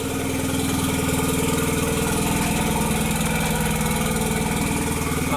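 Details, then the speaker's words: 2001 VW Jetta Wolfsburg with the 1.8T (180) engine, a non-running project with a messy harness, on first start with temporary wiring: loud, uneven, lumpy idle from misfires on cylinders 2 and 3 and a random misfire (P0302, P0303, P0300). "so we have random misfire and cylinder number three and still the number two misfire fifteen and sixteen"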